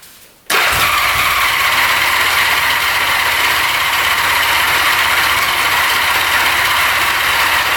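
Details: 1975 Honda Goldwing 1000 stored 25+ years, gas poured down plug holes; starter spins engine at a steady whirring rate but it never catches; crank no start from fuel starvation, fuel supply clogged, no gas on reserve or on.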